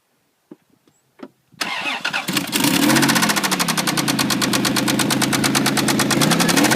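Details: Toyota Tacoma 3.4L V6 cranks, catches and settles into a fast, heavy rhythmic knock at idle, suspected lower-end knock before an engine treatment is tried; cause not confirmed.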